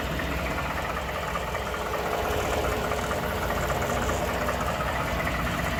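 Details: 2012 Ford F150 5.0 Coyote V8 idling with a loose, irregular low-end knock, now constant. The dealer's throttle body cleaning and PCM reprogram did not fix it. The owner suspects an oblong cylinder; the cause is unconfirmed.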